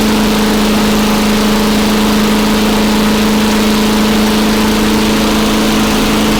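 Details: Very old Craftsman Eager 1 mower with a Tecumseh engine (rear spark plug), running after a choke-to-primer conversion and a few extra primes. An even, steady drone at constant speed with no surging or misfires; normal running.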